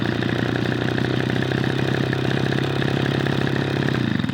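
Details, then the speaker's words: Echo PB-210e two-stroke leaf blower after spark plug connector repair and carburetor high and idle mixture adjustment: even steady buzz at constant speed without stumbles or surging; running really well. "All right, I feel pretty good about that. That's running really well."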